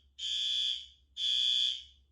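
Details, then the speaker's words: Monthly fire alarm test with the smoke detector activated in a photo garage bay: two steady, high-pitched horn blasts about a second long with a short gap between them. Normal alarm horn operation, horn strobe confirmed good. "see when smoke photo garage Bay just got my message that horn strobe is good"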